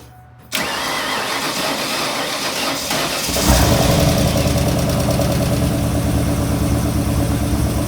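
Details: Junkyard 351 Windsor V8 with eBay turbos, first start after valve stem seal work and cylinder head swap for billowing smoke: starter whirs briefly, then it catches and settles into a deep, steady, even idle with no knocks or misses.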